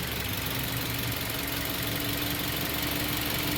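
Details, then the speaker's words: Toyota Vios idling after replacing the dead No. 3 fuel injector: quiet steady hum under light hiss, no stumbling or shake; vibration gone, all cylinders firing evenly. "yung fuel injector number 3 kung lahat ito gumana na kasi ah nawala na yung kanyang atog ibig sabihin yun lang talaga ang naging isue"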